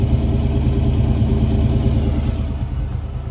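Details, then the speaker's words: 1986 Ford Mustang GT 302 V8 after mass air (MAF) conversion: smooth, even, deep idle just above 1000 rpm, slightly fast; clean idle before base idle reset and timing check. "Fired up and it didn't rev the 2000 RPMs, just like the 1500, and then it lowered itself back down. Idle's super clean."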